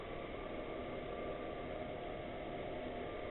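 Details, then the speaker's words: Chinese diesel air heater bench-tested before fitting in a boat, warm and running at 4 bars: steady, even rushing hum with no ticking or rattle, mostly intake air noise rather than mechanical; normal running. "I say that's noisy, but it's not like a mechanical noise. It's the air going in the air intake more than anything."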